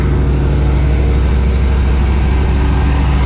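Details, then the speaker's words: Engine just freed of badly stuck valves and fitted with new pushrods, choke working, started after a couple of pedal pumps: deep, even drone with a steady low beat and no ticks or stumbles, holding a smooth fast idle. "a couple of pumps that's it fast idle works everything's working on it look how smooth this thing runs"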